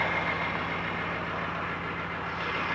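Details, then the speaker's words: 1995 GMC 6.5L turbo diesel idling after cold start with new used PMD installed: even, steady diesel clatter with smooth low throb, no misses or knocks; normal idle. "she's backing back in business now we'll sit here and do a test see how long she runs"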